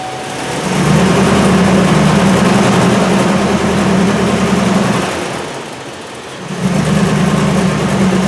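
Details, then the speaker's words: 2003 Silverado with a lack-of-power complaint, power-braked in gear under load with the camera on the engine: an uneven drone that stumbles, dips and bogs, a misfire under load; it runs like a dog. "Okay, so you can hear that it is really a dog."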